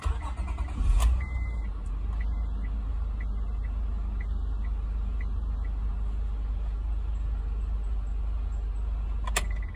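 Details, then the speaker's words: 2006 Honda Accord 3.0L, high mileage, after cleaning the corroded starter solenoid signal wire and terminals: short crank catches quickly, smooth steady idle, chime beeping; no-crank fixed, old battery still weak. "guys I think we fix the problem was the little wire to the solenoid corroded clean it put the electric on it and it's cranking like a champ"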